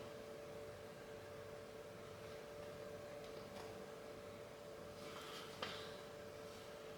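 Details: Titan TTC-SC60(B) caravan ventilation fan on its low setting (around 30–60%): quiet, steady motor hum with no rattle or scraping, running smoothly; earlier noise complaints were blamed on rain on the caravan roof, not the fan.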